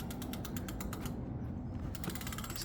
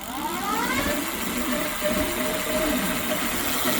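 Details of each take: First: Brand-new Ducaway Silvertip 8 e-bike coasting without the motor: steady, even freewheel ratchet ticking, no rubbing or grinding; wheel not touching anything, brakes adjusted; the strange noise and vibration appear only with the motor. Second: Brand-new Ducaway Silvertip 8 hub motor spins up with a rising whine, then a rough, warbling hum with uneven buzz and vibration; smooth without motor, wheel not rubbing, brakes adjusted; owner suspects defective motor or bearing.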